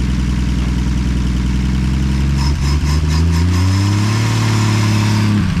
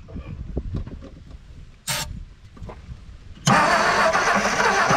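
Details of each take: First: 1959 Edsel Ranger, first start in 30+ years after being pulled from a farm field, carburetor suspected not right: strong, steady engine note climbing smoothly with throttle and settling back without stumbling; running healthy. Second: 1959 Edsel Ranger not run in 30+ years, with a new starter, coil and starter wire, cranking on a fuel prime. Slow, uneven starter churning with faint chuffs, then a sudden roar as it catches.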